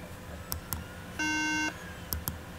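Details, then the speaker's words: Apple MacBook Pro 13 A1278 powered on the charger: a single half-second buzzy beep at startup, part of the bad-RAM warning pattern. The cause was a bad RAM module and a bad RAM slot. "oh Boop okay that is a bad Ram sound that's bad Ram so"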